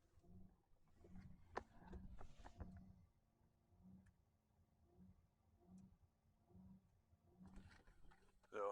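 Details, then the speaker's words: 2011 Ford Explorer with aftermarket HVAC controller, duty-cycle controlled blower motor: quiet fan hum swelling and fading about every half second instead of holding steady; blower speed surging up and down, cause not yet known. "I don't know if you can hear that or not but the motor's just ramping up and down repeatedly that sounds kind of crappy"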